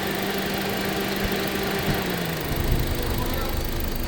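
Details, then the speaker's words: 2005 Honda Civic that had misfire, jerking, no pick-up and stalling in reverse, after fuel pump work (pressure was 22) and repairing a broken wire; warm idle steady and even, settles smoothly after fan cuts out, stable with AC on, healthy. "ये engine sound है। कोई God नहीं है। जी। माशा्लाह बेहतरीन"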